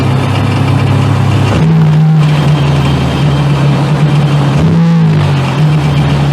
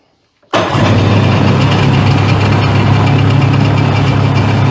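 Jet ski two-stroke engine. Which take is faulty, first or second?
first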